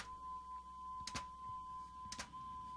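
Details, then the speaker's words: 8-track unit on the bench, tape playing a steady test tone: two sharp clunks about a second apart as the head shifts on manual track change, a small rumble each time; the track-change solenoid pulls cleanly, working normally. "Okay, and you'll hear that little rumbling sound every time it changes tracks. Okay, so as you can see, this unit's changing tracks automatically just fine."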